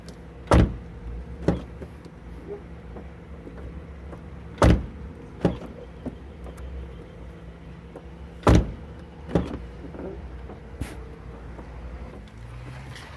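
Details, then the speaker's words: VW Gol G5 car door after greasing and lubricating the hinge and door parts to cure a loud noise; door swings open and shuts with clean solid thumps, no squeak or creak, normal door operation. "E cadê o barulho família Cadê o barulho que estava na porta foi resolvido em um minuto"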